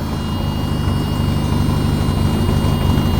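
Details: British car being prepared after a dash electrical fire, with the hazard flasher relay clicking; engine runs with an uneven, lumpy beat and a thin high whine over it, sounds rough, cause not yet clear.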